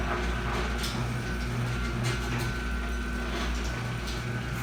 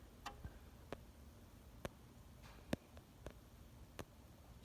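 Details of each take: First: Chamberlain garage door opener after resoldering a cold solder joint on the relay board; it previously stopped at random spots from relay contact dropout. Steady motor hum and drive rumble, no relay chatter, clean stop; runs normally. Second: Chamberlain garage door opener relay chattering with sharp irregular clicks, about eight in five seconds, as a cold solder joint on the relay board breaks and remakes contact, so the door stops or won't open; fixed by resoldering.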